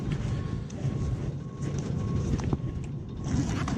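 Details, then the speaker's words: Noisy rooftop (RTU) HVAC unit, blower the only moving part, thumping and rattling at times and shaking slightly: deep steady blower rumble with uneven thumps and rattles; blower wheel bearing housing held by one bolt, other holes stripped. "This unit gets noisy at times downstairs. They say sometimes it sounds like it's thumping around. Sometimes it sounds like it's normal. I could hear a rattle here."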